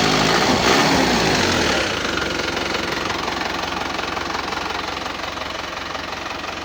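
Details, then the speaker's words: Isuzu Panther turbo diesel after melted pistons from overheating were repaired, idling cold with no thermostat fitted yet. Steady, even, soft diesel clatter with no knocks or misses and a little white smoke from the cold engine; the idle is normal. "Suaranya adem, empuk. Ada sedikit asap putih."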